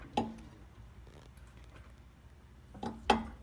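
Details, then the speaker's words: Nissan 350Z with SPC upper control arms, noise appearing after 20–30 minutes of driving: jacking the suspension gives two sharp isolated clicks on the way up and down, felt at the upper ball joint; worn upper ball joint. "So I'm gonna jack it up and you'll hear a click, and I can feel the click too. When I put my finger on that ball joint, I can feel it."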